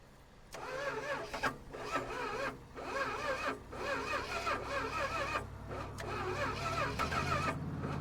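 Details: 1974–1980 Plymouth Trail Duster with a 360 Mopar V8, cold after sitting 21 years and jumped from a daily driver: the starter cranks in steady rhythmic pulses but it never fires. Cranks, no start; a lack of spark is suspected.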